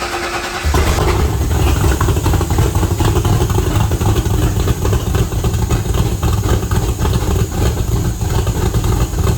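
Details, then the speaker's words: Factory Five MK2 Cobra roadster, Ford 302 V8 with fuel injection and rebuilt T5, first start in a year after oil priming, in neutral: short crank, catches and settles into a steady, deep, even idle with no misses; healthy start. "All right, it's running. I'm going to check for leaks and walk around and let it warm up real quick."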